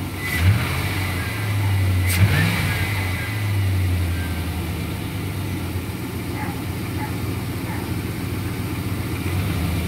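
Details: 2004 Chevrolet Silverado 1500 5.3L V8, whistle since water pump replacement: thin high whistle rises as it revs then fades; also while driving; owner suspects vacuum line or intake manifold.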